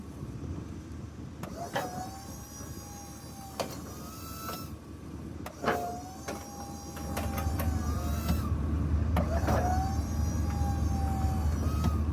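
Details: Meyers snow plow hydraulic pump on a truck, while bleeding air and suspected water from the fluid: electric pump motor whines in short repeated pulls with wavering pitch; air in the fluid suspected.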